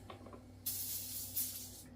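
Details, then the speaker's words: SodaStream CO2 cylinder, freezer-chilled, on the fill adapter: faint clicks then two roughly one-second bursts of sharp hissing gas when cracked, pointing to a leak at the fitting; owner suspects poorly seated O-rings and rotates the cylinder. "Crack it first. Make sure you got no leaks. See, I can hear a leak. I don't like that one."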